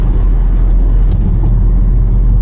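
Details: 2011 Nissan Rogue SL AWD, 2.5 four-cylinder, 167,000 miles, driving at road speed: deep, steady droning hum in the cabin from worn staked driveshaft U-joints, later replaced.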